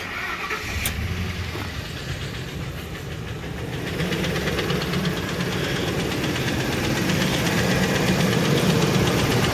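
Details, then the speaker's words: Ford F-150 with rough running, bad coil packs, leaking intake gaskets and coolant in the plug bores. A sharp tick about four times a second from one bank; an incorrect spark plug struck the piston, needing an engine replacement. "it's got a few bad coil packs in it it's also got leaking intake gaskets but my biggest concern is that noise almost positives coming from this Bank"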